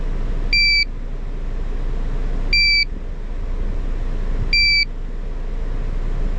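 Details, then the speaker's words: GZAIR SA103 portable carbon monoxide detector after testing at a car's exhaust tip, with readings over 1000 ppm falling. It gives short high beeps about every two seconds over the running engine; vibration stops below 200 ppm and the alarm stops below 50 ppm. "there's just an alarm and once it gets down to a more safer level which is below 50 the alarm is going to stop as well"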